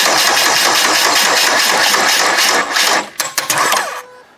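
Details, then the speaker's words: Demolition derby car cranked by jumping the starter with a screwdriver, fuel line drained and fuel pump not switched on: starter spins steadily at about three beats a second without firing; crank no start, no fuel. "I imagine it has no fuel yet cuz that line was"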